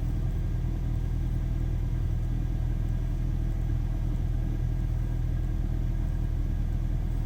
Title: BMW E46 318i N46B20 Engine Sound at Cool Startup (MAF Problems)